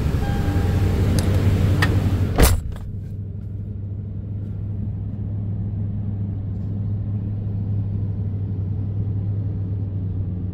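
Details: 2010 Toyota Tundra SR5 V8 after secondary air injection valve replacement, fuel rail primed and restarted; brief clatter then a deep, steady low rumble with no misses or ticking; normal idle.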